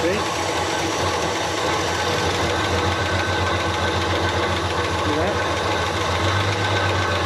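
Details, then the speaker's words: Chrysler CM Valiant sedan with Hemi six, started after sitting for years: idles lumpy and uneven with a chattering rattle on top, like an old tractor; a whirring noise is suspected to be the water pump; rough running. "thank you sounds like a bit of an old tractor at the moment"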